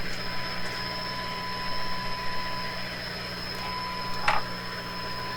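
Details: Eveready Model 32 tube radio, repowered with heaters warm, driving a large speaker (roughly 8 ohms) from a signal generator: clean steady test tone over low hum plus faint chirping from shop computer equipment. Normal audio output.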